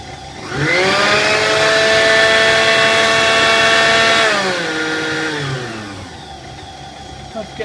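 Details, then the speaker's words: Kenwood Chef A701/A mixer after motor bearing lubrication and service, run up to top speed: quick wind-up to steady high whine, then smooth coast-down; strange sound is centrifugal controller contacts opening and closing, correct operation. "strange is correct operation it's the contacts opening and closing it alls well"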